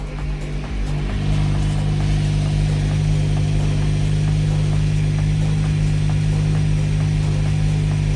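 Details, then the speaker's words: 2010 Mazda 6 (GH) idling after an exhaust bolt and seal kit was fitted: steady petrol idle with a faint rapid puffing tick on the exhaust note; the exhaust leaks at the joint, and the bolts are thought to need tightening. "The exhaust is not touching the bumper. It's a bit lower. Not touching bumper, and it's a bit lower. Good. Okay, let's start the car. So then, handbrake is on. This is on. We have a leak."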